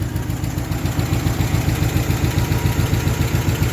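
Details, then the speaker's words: 1966 Ford Galaxie LTD with tired, high-mileage 360 V8 at idle as it warms up: steady fast ticking, about 200 a minute, over a rough idle, growing louder while warming, oil pressure dropping near zero, smoking; valvetrain ticking. "so yeah as it warms up it'll get louder and louder and the the oil pressure pretty much goes to zero"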